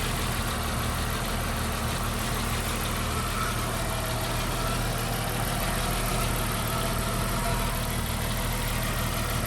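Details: 1991 Jeep Wrangler 4.0 L high-output, a no-start case: after a new Hall-effect crank position sensor was fitted, it starts and holds a steady, even idle with a smooth low rumble and no misses. Normal idle.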